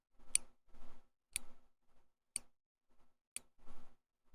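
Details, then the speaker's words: Pod pump priming: crisp single ticks about once a second with faint soft sounds between, clicks as the plunger advances to prime the tube; normal. "because it goes click click click snap and then click click click so that the additional clicks after the snap are it advancing the plunger just a little bit in order to Prime the tube"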